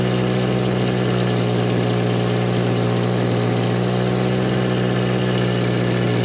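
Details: Volvo 240, idle dropping as it warms up: steady, even drone held at a chronically high idle. Big oil leak from a blown top cam seal and an exhaust leak are also noted; high-idle cause unconfirmed.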